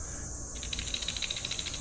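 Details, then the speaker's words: Old garage door roller removed and shaken by hand, spinning freely with lots of wobble and side-to-side play: dry rapid rattle with light metallic clatter; worn, sloppy roller compared against a new one. "and a lot of play, so it shouldn't sound like a rattler, obviously. And when it was rolling, you see how it's spinning freely and has a lot of slop one way or the other."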